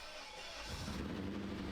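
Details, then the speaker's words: Old BMW 5 Series, first start after revival, lots of smoke: engine catches after quiet crank and runs uneven and struggling with wavering low drone; owners think it needs to warm up, then hear a knock-like noise. "It sounds bad. I think it needs to warm up. >> It's just not It's not happy right now."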